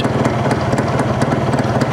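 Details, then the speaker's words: Yamaha RX two-stroke after carburetor tuning, engine not yet at operating temperature: low, even putter holding a steady idle around 1200 rpm without hunting or dying; idle screw set just above where it would die, so it will idle a little lower once warm. "so if you look here the RPM is roughly around 1200 so when the engine reaches operating temperature then it would idle little low"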